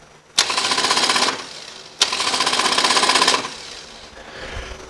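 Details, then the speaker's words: 2006 Harley-Davidson Dyna Street Bob, pressing the starter button: two one-second bursts of fast high buzzing whir with no cranking; starter spins freely as the compensator slips, something stripped inside the primary. "so something in there [Music] is stripped so I'm going to remove the primary cover and check things out"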